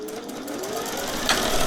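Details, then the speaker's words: Singer 401A thrift-store sewing machine, running while testing stitch pattern cams: steady hum, then one sharp loud pop partway through from inside; motor not hot, so probably not the motor, cause unknown; slight knocking noted afterward. "Did you hear that? That scared me. Definitely don't like hearing loud pop noises from inside the machine."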